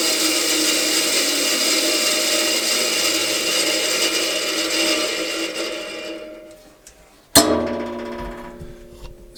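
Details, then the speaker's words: Bandsaw refitted with a 1.5 kW (2 hp) three-phase motor, switched off: a steady hum winds slowly down over several seconds with no grinding or rattle. This is a healthy, normal coast-down, much longer than the old motor's 5–10 seconds. "when you turn the saw off, it takes a while for this thing to spin down. I almost want to put a brake on it somehow."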